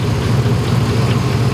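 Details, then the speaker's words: Truck idling after the failing, grinding AC compressor's belt was cut off: much quieter, howl gone, but faint uneven knocks and light ticks now audible; source not pinned down. "It's much quieter, like by a lot. Matter of fact, I can hear things I don't want to hear now, like different knocks and pecks."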